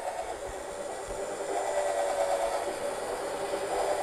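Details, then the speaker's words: 2 mm high-speed-steel twist drill on stainless steel: a smooth, steady high whine with no chatter, meaning the bit is slipping and not cutting; the rattling sound indicates cutting. "Now listen carefully. The sound you hear is not cutting, it is just slipping."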